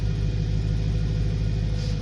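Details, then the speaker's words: Stock 2008 BMW E92 M3 with the S65 V8 and stock exhaust at idle. A deep, even burble holds a steady idle with no knocks, misses or ticks: healthy. "now the stock exhaust has got a nice idle noise"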